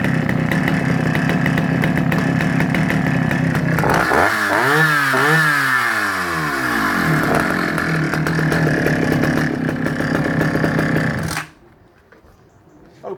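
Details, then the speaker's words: Vintage Husqvarna B65 65cc West German two-stroke chainsaw. Crisp idle, then a few quick revs up and down, then a clean shutoff. Starts properly and runs as it should. "So going up on eBay as a collector's item, starts properly, runs exactly as she should, and hopefully suitable for any guys out there."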